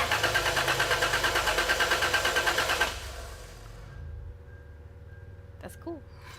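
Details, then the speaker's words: 1999 Toyota 4Runner with rough idle, misfire and check engine light, automatic in park, cranked by a button on the starter solenoid wire. Cranking pulses are steady at about three a second with no weak beats; relative compression sounds even, and the starter is a little noisy. "that sounded pretty even to me the starters a little noisy but the engine cranking sound seemed pretty easy even to me"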